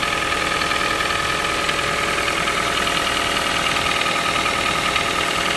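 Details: Toyota 1NZ-FE engine, cold start every morning: light, fairly quick ticking knock around three per second at cold idle, disappearing after a few minutes, sometimes faint when very hot after 2–3 hours city driving; cause unknown.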